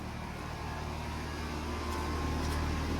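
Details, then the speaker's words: 3.5-ton whole-house heat pump cooling the upstairs, run on two 3 kW EG4 high-frequency off-grid inverters in parallel, about 1 kW load each; the outdoor unit gives a steady low hum and even fan whoosh, no rattles: normal running. "No way. It's actually running. Oh, it's nice hot air coming out of here. So we're actually running this 3.5 ton whole house."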